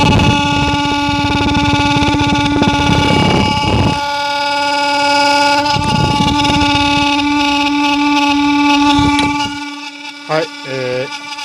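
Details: Mitsubishi Minicab U62T kei truck heater blower motor running, mic held close: steady buzzy whine with rough rattling bursts from a faulty blower motor needing replacement.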